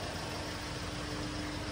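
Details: Hyundai H-100/H1 Euro 4 diesel at 154,000 mileage, repaired for heavy black smoke under acceleration, two badly damaged fuel injectors found: steady, even idle with a constant low hum and no knocks or misses; normal idle.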